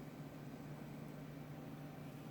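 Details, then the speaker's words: Small cooling fan in a Retroflag MegaPi case on a Raspberry Pi, running without the heat spreader: low, steady, faint hum with a little noise but no rubbing; the fan was vibrating in the case and was rotated to secure it. "here it is, the little fan is working, there's a little noise from it - but that's okay in bearable, you can you can feel that..."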